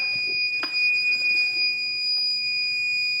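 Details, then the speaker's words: Stanley 25 amp battery charger/maintainer with clamps deliberately reversed (red on negative): steady shrill electronic beeping plus a meter warning sign signal reverse polarity; the beeper stops when disconnected. "we go that's telling to me right there that I'm hooked up wrong and right on here on the meter it's showing me a warning sign that I am hooked up wrong so disconnect it and the little beeper goes away"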